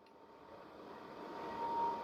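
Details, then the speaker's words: Vevor diesel heater after one year of shop use, just shut down: a steady fan hum with a thin high tone swells as the blower ramps up with no flame, cooling the burner; normal cooldown. "That fan is just going to sit there and run. There is no fire, but there's still heat coming out because you're blowing all that cold air now across the actual burner."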